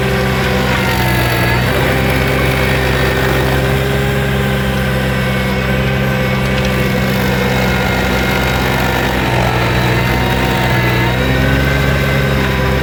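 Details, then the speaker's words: New Vermeer SC1052 stump grinder engine: deep steady roar holding as the cutter bites and loads it, no knocks or misses; passed hard torture-test use, running strong. "We punched it and brutalized it, and it survived. It did perfect."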